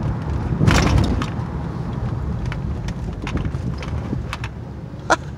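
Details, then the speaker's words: 2009 Honda Pilot, about 145,000 miles, after replacing front sway bar link that caused front suspension noise, driving over a dip fast: one soft thud, then only road rumble, no rattles or clunks; normal. "I'd say that sound is gone I don't know if you can hear it in the video I mean there was a little bit of a bonk but that's just because I hit that dip really hard normal sound"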